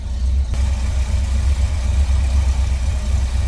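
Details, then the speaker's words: 1970 Chevrolet C10 with a 350 V8, headers, newer exhaust, Edelbrock carb and intake (possibly Performer RPM). Deep, steady V8 burble at idle with no knocks, misses or ticks: a normal, smooth-running idle. "Smooth running 350. Sounds good too."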